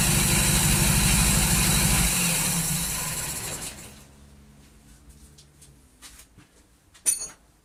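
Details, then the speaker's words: 1939 Hillman after fitting an AC fuel pump, run without coolant: a lumpy, uneven beat for two seconds, then it shudders down and stops. Rough running; the owner thinks the ignition timing may be out after messing with it. "Well, it lives. Sounds like a bag of rubbish."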